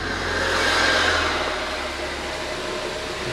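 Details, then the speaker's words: 2014 Ford Focus ST after wiring harness repair, with 2017 PCM programmed in, some sensors still unconnected: engine swells as it catches then settles to even, smooth idle with no misfire or rattle; normal start and idle. "running pretty good the engine sounds good"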